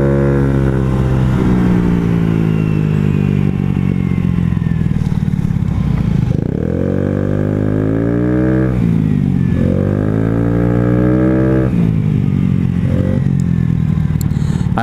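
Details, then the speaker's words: Honda Ruckus scooter after valve adjustment: engine flares up and drops back repeatedly while revving, belt not traveling, as if sliders don't slide; variator misassembled. "I am revving at it's like my sliders aren't sliding or something my belt isn't traveling what happened"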